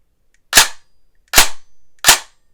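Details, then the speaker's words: Airsoft DSG gun with a bigger spring, semi-auto: three sharp, overly loud cracks about 0.75 s apart with heavy vibration; poor air seal because the piston head doesn't align with the cylinder. "it's super loud and when i shoot it it vibrates a ton now what that is is i actually tested this before i put the gun back together and i tested it and it didn't work out the right way as in there was no air seal at all"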